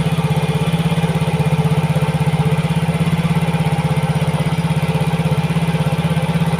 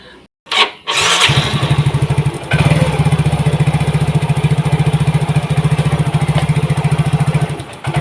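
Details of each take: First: Yamaha Mio GT after replacing a dirty, clogged injector: steady, even putter at fast warm-up idle around 1900 rpm, settling to 1300 rpm with 1.0 ms injection duration and oxygen sensor at 0.49 V. Normal idle, no misses or hunting. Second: Yamaha Mio GT fuel-injected scooter, injector already cleaned and filter replaced; starter whirrs, engine catches with lumpy uneven beat and stumble, slow response; clogged fuel injector, before injector replacement.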